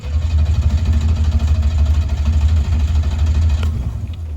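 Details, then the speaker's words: Starter cranking during battery, starting and charging test: steady, even strong cranking with no dragging or clicking; cranking voltage stays over 11 V (pass is above 9.6 V), so battery and starter check out good; normal cranking. "good. As long as that thing is reading more than 9.6, that battery and that starter check out good."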